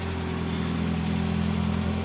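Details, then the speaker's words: Peugeot 205 Génération 1.4i 75 hp, started after exhaust line work (it had been blowing loudly before): steady, even low idle with a soft, sealed exhaust note, no rasp or blowing; much better, normal idle with quiet exhaust. "alors on démarre l'auto ah bah c'est déjà mieux là c'est bien mieux ah"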